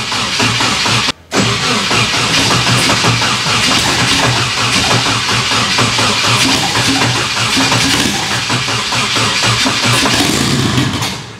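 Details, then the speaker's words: Nissan S13 240SX with KA-T engine, first start after rebuild with fresh fuel: long stumbling cranking, then catches into a rough uneven run; a hard cold start, cause not confirmed. "she's got a bad cold start there we go"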